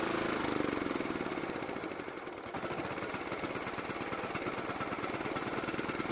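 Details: John Deere riding mower single-cylinder engine, carburetor primed, thumps about four times a second, sagging then recovering unevenly, dying unless partly choked; lean running from faulty carburetor.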